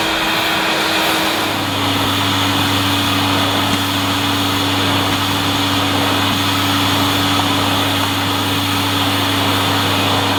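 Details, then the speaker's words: 1988 Hoover Compact Electronic S3462 cylinder vacuum at maximum power on carpet: steady motor roar with thin constant high squeal; owner suspects a rubbing rubber seal, cause uncertain. "still makes a little bit of a little bit of a squeal as if there's a mouse trapped inside let's hope not I think it's some sort of Rubber seal or something that's causing a little fart noise"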